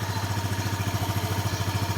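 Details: Motorcycle that had been sputtering and stalling, after the owner tightened a loosened side screw he thinks is the air adjustment: quick, even idle at about thirteen pulses a second with no stumbles, now running properly.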